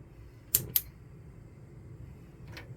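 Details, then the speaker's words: Gas hob in a 2012 Swift Challenger 480 caravan, knob pushed in and held: a few sharp dry ticks from the spark igniter, then the burner catches; normal ignition. "And we'll just show you the gas hobs working. So you turn the knob, push it in, hold it in for a couple of seconds."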